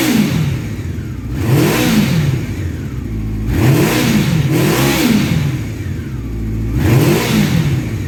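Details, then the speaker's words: 1984 Honda CB700SC Nighthawk, running warm after a carb clean, with soot burning off out of the exhaust. Revs climb and fall cleanly in repeated blips with no misses or clatter. Normal revving. "so I'm going to start it up and give it a couple revs here you'll see the the stuff burning off and coming out of the pipe"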